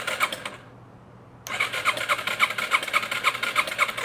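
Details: 2005 Yamaha TTR 230, once fully submerged, cranked with plug in, fuel on, choke on: even starter pulses about three a second, engine never catches, nothing from exhaust; later traced to a broken exhaust rocker arm.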